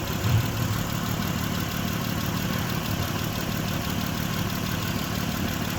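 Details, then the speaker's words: 2006 Mitsubishi Pajero 3.8 litre, P0304: low steady idle, faintly rough underneath; cylinder 4 still misfiring after coil swap, cause not confirmed. "So guys, we changed the spark plug and we still had that misfire on cylinder 4."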